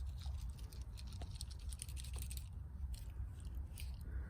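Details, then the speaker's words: Old headlight switch removed from a Mercedes R129 SL, which had bulbs burning out fast: turning it by hand gives irregular gritty crunches and clicks instead of clean detents, pointing to worn, loose internal bearing balls. "It's messed up. You can totally hear that. That's the old one."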